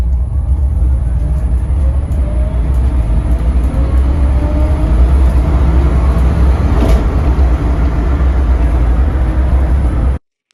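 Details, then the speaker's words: Austin van electric conversion (Kinghorn Electric Vehicles) accelerating 0 to 40 mph: smooth motor whine climbing steadily in pitch over road rumble; healthy electric drive, normal acceleration. "Anyway, I thought it would be fun to show you how quickly it accelerates from 0 to 40 mph. So, here's what it looks like and what it sounds like."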